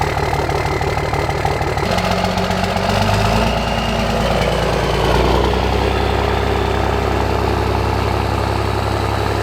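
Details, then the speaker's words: Cummins diesel truck on startup with a new 64mm Stealth drop-in turbo and custom tune, factory tune skipped; a little oil had been spilled on the turbo center section. Steady idle clatter with a faint thin whistle. Normal turbo spool. "Now, we didn't drive it under the factory tune. We should have. Messed up. Should have drove it under factory and then tuned it and then seen the difference. We're going straight to tune. Do you hear that whistle on startup?"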